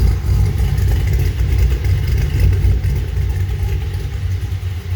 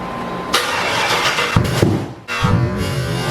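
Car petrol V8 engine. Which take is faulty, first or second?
second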